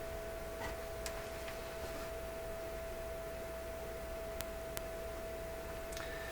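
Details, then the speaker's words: Electrohome tube console radio receiver running at full line voltage during voltage checks: steady mid-pitched tone from the speaker with sharp clicks as the meter probe connection makes and breaks. "what is that sound that's that's the my meter connection making and breaking"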